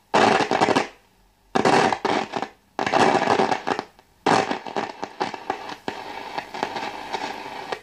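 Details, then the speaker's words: Wald model 310 AM/shortwave five-valve tube radio under repair; loud irregular crackle when touching and moving the variable tuning capacitor, suspected dirty or partly faulty capacitor, not confirmed. "estoy tocando el condensador variable este ese chisporroteo que se oye no es nada bueno quiere decir o que o está sucio o hay alguna parte del condensador que no está funcionando bien"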